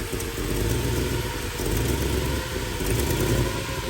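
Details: Carbureted V8 at idle during a timing demonstration with vacuum advance on ported vacuum, restarted after a throttle check: steady, slightly lumpy rumble with no knocking or misfire; normal idle.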